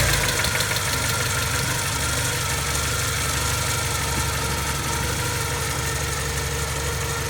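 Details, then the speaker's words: 1984 Porsche 944 after timing belt and water pump replacement: steady, even idle with smooth low rumble, no ticking, knocking or belt whine; normal idle. "Seems to be running good. I don't hear any weird noises. So, it's been running for a little bit."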